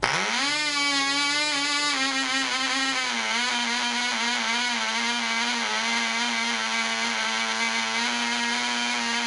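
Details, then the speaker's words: Black Widow mouse racer glow engine, first start, 24% nitromethane, five head washers, high compression, needle at three turns: quick rise to a steady high nasal buzz settling slightly lower, smoke visible on first run. "this is the glow plug boy 24% nitromethane that we're using oh I see smoke"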